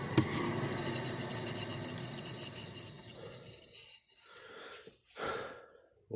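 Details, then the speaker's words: 2017 Subaru Crosstrek, driver's side rear wheel spun by hand with the microphone next to the tire: a dry, rough growl fading as the wheel coasts. The bearing was heard as a low rumble at 15–20 mph and was replaced. "curious to see how that picks up on the camera, if anything, but the driver's side wheel bearing is making noise. Sounds dry and noisy."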